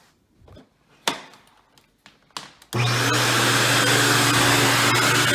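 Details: Dirt Devil Deluxe 8201 upright vacuum with new bag and belt, starting up after handling knocks: steady hum with rough gritty grinding from worn brushroll bearings, confirmed not the motor since noise disappeared with belt removed.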